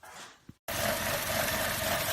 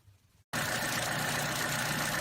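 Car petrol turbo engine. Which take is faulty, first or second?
first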